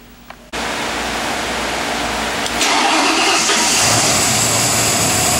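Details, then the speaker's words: Carbureted engine converted to fuel injection, bench-run over 45 minutes: starts right away, settles to steady idle, picks up cleanly on two quick blips; healthy with crisp throttle response. "it is very uh reliable starts up every single time excellent throttle response so you can see here so we're going to start it up and show you how nice this runs"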